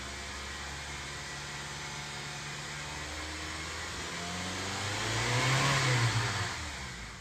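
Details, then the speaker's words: Honda CR-V revved after fixing stumbling, unstable running (no check-engine light) and resetting by disconnecting battery negative; smooth idle then clean rise to about 4000 rpm and back, exhaust sound normal again. "Di sana kita amati mesin sangat halus dan suara knalpot pun sudah normal kembali."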